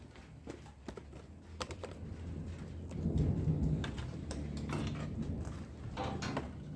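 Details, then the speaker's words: Yamaha DT200 two-stroke running after magneto refitted and set correctly: loud irregular knocking, several bangs per second, as if something is breaking inside; internal play suspected, engine must be split open. "Esse motor aqui ó eu vou ter que abrir ele no meio porque ele tá fazendo um barulho muito alto"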